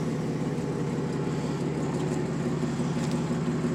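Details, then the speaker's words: Warm 1994 Dodge Dakota after new catalytic converter and new Flowmaster exhaust, previously buzzing; idles smoothly with a soft, even thump about three per second, quiet, no buzz or rattle; normal idle. "It's got a little thump thump thump thump thump thump thump thump thump sound that I like. So this is how it sounds so far when it's idling. Sounds quiet there."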